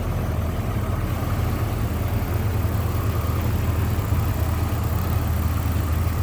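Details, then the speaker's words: 1986 Toyota Supra Mk III, two-owner, engine running with hood up: very smooth, even low six-cylinder rumble at idle with a steady beat and no knocks, ticks or misses; normal idle. "Very smooth running, nice sounding car. Just let you take a listen to that."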